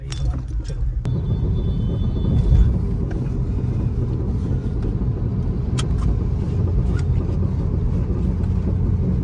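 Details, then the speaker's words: VW Polo driving over bumps and speed breakers, heard in the cabin: low road rumble with occasional sharp, loose clunks from the front suspension. Diagnosed as worn anti-roll bar link rods needing replacement. "बाकी main तो इसके य जो आवाज आ रही है यही है इसकी लिंक रोड करवाते चलो"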